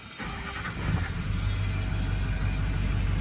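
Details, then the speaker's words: GMC/Chevy 2500 HD with Duramax V8 turbo diesel, 183,564 miles, complaint of lack of power driving and towing, suspected fueling problem, fuel filter life 12%; starts and settles into steady, even low idle rumble, no knocks or misses, sounds healthy. "All right. Sounds pretty healthy."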